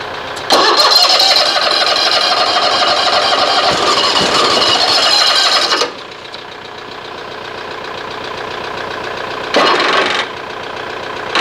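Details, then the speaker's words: Toro TimeCutter SS 4225 mower, no-start, about 40°F: starter spins several seconds, engine coughs and sputters without catching; plugs wet, flooding from the carburetor suspected, clearing the cylinders gave a little life; cause not confirmed. "all right so we got a little bit of life so that was part of the problem"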